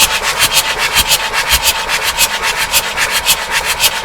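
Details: Abandoned Bedford CF2 van, in-cab engine, long left sitting: the starter turns it over at about four even pulses a second but nothing catches or fires; cranks but no start.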